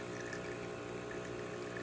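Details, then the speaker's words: Breville Barista Express after water pump replacement and OPV adjustment, double-shot extraction test: steady, even pump hum with smooth flow, gauge reaching espresso range, no surging or rattling; normal espresso pump operation. "now we will be extraction as you can see the gauge goes all the way to the espresso range and it's coming out nice and steady"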